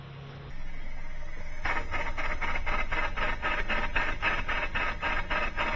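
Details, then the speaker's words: CAT 310 plunger car-wash pump after servicing and the water was turned back on: a steady run with a fast crackling pulse, about four per second, over the hum. It is still cavitating, so the head comes off next. "Oh, still cavitating. And it's a funny feeling that wasn't fixed it this time."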